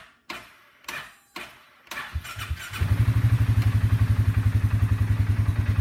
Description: Bear with this video. You will see and hear when the starter has a bad section. Thanks.